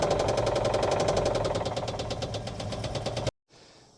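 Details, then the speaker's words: 1959 Oldsmobile 98 coupe V8, briefly running with oil present: rapid, fairly regular tapping through the idle, about four beats a second, sounding dry; engine knock, dry top-end tick suspected. "but man that doesn't sound happy just sounds like super dry but it does have it does have oil"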